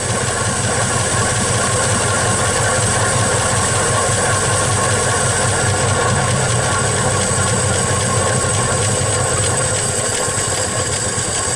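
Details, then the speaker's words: 1961 Studebaker Champ truck being got running again: steady even idle with faint whirring from the front, running smoothly with no misses or knocks; water pump noted as making a little noise. "but sounds like it's running pretty decent to me"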